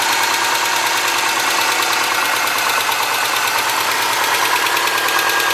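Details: 2003 Subaru Forester, 178k miles, ~150 miles after head repair for dropped valve guide, cold start idle: fast light ticking about three a second from driver side; exhaust valve clearance driver-side front cylinder .029 vs ~.010, adjustment cured it.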